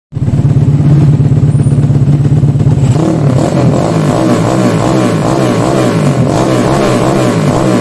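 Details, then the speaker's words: Carbureted motorcycle with correctly sized pilot and main jets: steady low burble, then quick clean blips at low rpm rising and falling crisply, sound matching throttle response; normal revving. "enggak Nah itu pilot yang pas jadi digeber pada putaran rendah bukan di geber pull ya"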